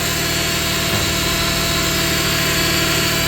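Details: 2001 Subaru Outback first start after new serpentine belt, idler pulley and tensioner, charging 14.4 V (battery was 10.7 V): steady even idle, smooth hum, no squeal, chirp or rattle from belt; normal idle.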